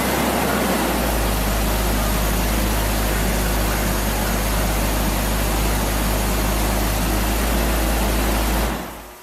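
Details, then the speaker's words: 2002 BMW 330Ci after fuel pump replacement: steady, even engine roar held at high revs with no misses, knocks or stumbles, then dropping away; runs clean and healthy, though a burning plastic smell was noticed. "That car, you get it wound up, you definitely know you're winding it up. Yeah, you hear it."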